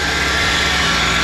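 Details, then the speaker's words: Mustang SVO after repairs and coolant refill: steady, even idle with a constant hum and no belt squeal or chirp; engine runs healthy. "all right got it running I filled it up with coolant it's running it's running good no squealing of the belt"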